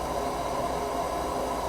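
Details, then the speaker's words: New propane water heater replacing a leaking unit, tank filling with water after the joints were made, before fitting the blow-down tube: steady, even hiss of water rushing in with no sputter or surging; fills normally with good pressure. "well that sounds like it's got pretty good pressure listen to that while it's filling"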